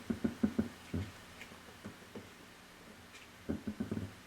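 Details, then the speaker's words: Vintage Fender Reverb tube guitar amp, tubes tapped: quick clusters of dull boomy thumps through the speaker from a microphonic output tube. "You got a thump thump. That's one of the output tubes."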